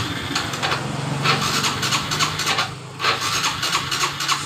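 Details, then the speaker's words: Honda Revo FI motorcycle, hard to start cold or hot and hesitant on acceleration, no fault code shown; cranks in uneven rasping bursts but never catches, fuel pressure to injector suspected blocked; cranks but won't start. "itu pertanda tekanan atau bensin di motor ini masih terhambat dan coba kita engkol terlebih dahulu untuk memastikan brebet atau susah hidupnya"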